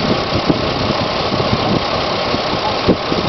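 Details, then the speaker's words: 2005 Pontiac G6 automatic, 73k miles, shifted between drive and reverse and accelerated: engine pulls with irregular thumping and knocking; cause unknown, engine seen moving, motor mount suspected. "Okay, I'm watching the motor move. I think it might be the motor mount."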